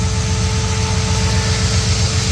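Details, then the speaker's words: Brock VK Commodore, FF-built V8 with five-speed, first start-up; deep even burble just under 900 rpm, steady beat, no misses or ticks, deep exhaust note. Smooth, healthy, well-balanced idle. "So, yeah, you can hear that's just purring away all day at that."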